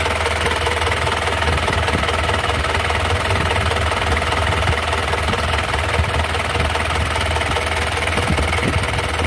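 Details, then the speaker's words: 2003 Mazda BT-50 4x4, 2.5L turbo intercooled diesel (same as Ford Ranger TDI), conventional mechanical injection pump: steady, even diesel clatter at idle with no heavy knocks or misses; healthy idle. "oke kita langsung dengarkan suara mesinnya secara langsung ini suara mesin dari Masda BT atau mesin for Ranger sama"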